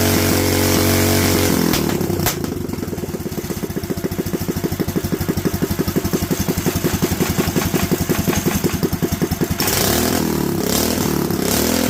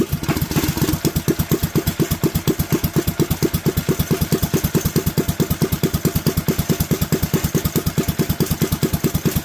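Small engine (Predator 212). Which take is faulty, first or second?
first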